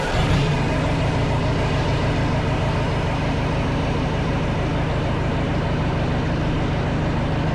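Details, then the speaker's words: Kubota V2203 diesel from a reefer unit, idling with a deep, uneven chug and visible shaking: a misfire the owner suspects comes from air sucked in at a loose fitting, forming an air pocket in an injector hard line. "I think it's sucking some air in there and getting into there and creating an air pocket which is creating my misfire."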